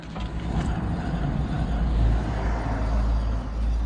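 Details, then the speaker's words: 2010 Citroën C1 front wheel turning: steady low roar with droning hum from a worn front wheel bearing, before replacement with a new bearing. "I hope you can hear the the roaring sound coming from. Should be clear sound from there."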